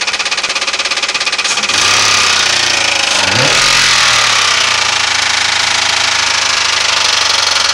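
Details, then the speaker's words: 1996 Ford Crown Victoria, 170,000 miles, racket appearing at morning start-up: loud metallic clattering changing with rev blips, loudest at the bell housing by stethoscope; timing and valves fine, owner nearly sure of cracked flex plate. "What it is is a flex plate that's cracked. I'm 99.9% sure."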